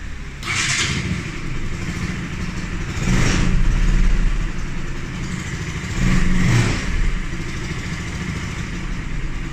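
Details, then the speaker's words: Bajaj Pulsar NS 200 after repair of a strange engine noise, reassembled before returning to the customer; engine idles smoothly through two throttle blips with no ticking or rattle, the noise gone. "Bueno pues ya acabamos de armar ya le iba a entregar no traiga cliente se le quitó el ruido"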